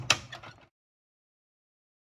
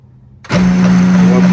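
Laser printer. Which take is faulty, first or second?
second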